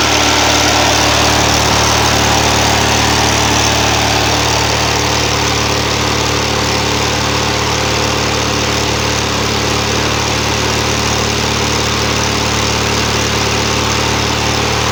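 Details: 25 HP Briggs and Stratton V-twin newly fitted to a hot rod lawnmower build: loud, even idle pulsing at about 220 beats a minute with a steady low drone; running smoothly, normal idle.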